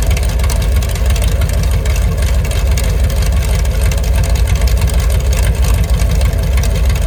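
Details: Mopar 383 V8, mufflers pulled, about 900 rpm: deep, lumpy open-exhaust idle with an even beat. No ticking or knocking, the cam sounds healthy.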